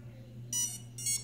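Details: Two short high beeps about half a second apart from ESCs on motors 1 and 4 of a KK2 quadcopter (V1.19S1 Pro firmware) that won't arm, despite recalibration and reversed throttle; motors 2 and 3 arm and spin fine.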